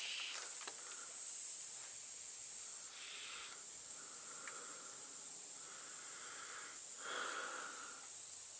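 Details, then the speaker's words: Truck 796 air system: steady thin high hiss, rising slightly in spots, from a leaking compressed-air fitting found while chasing several leaks around the truck; another leak is heard further along. "air leaks can be very mysterious it's a lot of fittings on a truck lot it seems like you find one and then it's you fix it and then there's another one you can hear it up here okay here's one"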